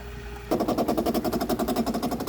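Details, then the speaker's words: 2008 Bosch dishwasher during refill on quick wash: sudden sharp even rattling pulses, about twelve a second, as water comes in, the noise it made before overflowing; suspected chattering inlet valve, replacing the inlet valve seemed to fix it. "that's the sound okay just barely did it but when it when it overflowed last time it was cavitating like that"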